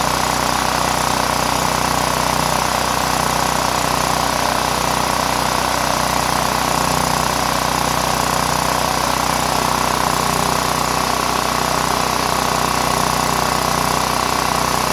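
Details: Power Mate VX Power Series generator running after its carburetor and fuel-bowl solenoid were cleaned and the on switch was turned on, still on fuel probably eight years old. Steady, even drone with no surging or misses.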